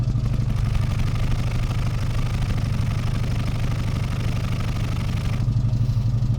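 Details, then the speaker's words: Austin A40 Farina with a suspected ignition problem, recorded with a gloved hand over the exhaust tailpipe at idle: steady, even low burble with no misses or coughs, its normal healthy sound. "it's a nice consistent burble no sorts of coughing that's how Oscar normally sounds"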